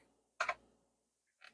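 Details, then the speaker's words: Wang Alliance 760 PC, hard drive clicking on boot attempt with MS-DOS 3.3 5.25-inch boot disk after invalid configuration; a couple of sharp isolated clicks in a quiet room, drive may be dead or boot sector gone, not confirmed. "I'm hearing clicking from this hard drive. This hard drive might actually be dead."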